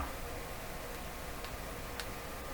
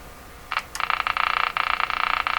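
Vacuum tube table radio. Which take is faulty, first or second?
second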